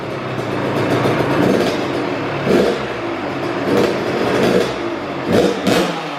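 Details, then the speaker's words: First-ever start of a brand-new Kawasaki KX112 with a Pro Circuit pipe, R-304 silencer, Boyesen RAD valve, VHM high-compression head and rejetting. A crisp two-stroke idle with three quick throttle blips that rise and fall cleanly, with no bogging or misfire: a healthy fresh build. "Dang, that's perfect. Holy mackerel. Second kick, third kick, whatever. That thing was started right up."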